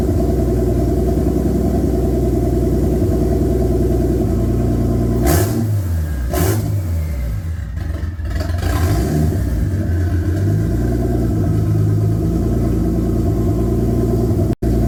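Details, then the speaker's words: Toyota Supra Mk3, non-turbo 7M newly fitted with a larger turbo; steady idle, then two quick blips to about 2000 rpm (owner's estimate) with a rising whoosh, turbo spooling quickly through the exhaust; normal turbo spool. "but it sounds pretty good it spooled up pretty quick uh you can hear the turbo spilling up through the exhaust"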